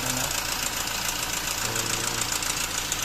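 Dense metallic chatter riding over a busy diesel idle, quick and fairly even, from the front of the engine; a worn timing chain rattling.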